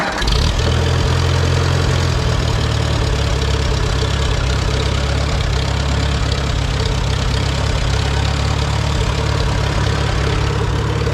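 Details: Farmall B tractor engine, freshly oil-changed, after radiator repair, governor work and new gaskets and seals; low steady chug at constant pace, no missing or knocking; normal running.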